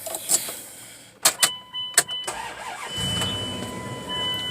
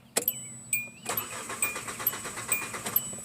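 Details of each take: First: Car starting with nothing connected to the DLC, after the battery was disconnected about five minutes and reconnected: a few clicks and clunks, then the engine catches promptly and settles into a smooth, steady idle. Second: Hyundai Elantra after reconnecting a loose starter terminal: the starter cranks with a steady uneven chug and one brief near-catch but never fires. Crank-no-start because a fuel leak is pouring gasoline, leaving no fuel pressure.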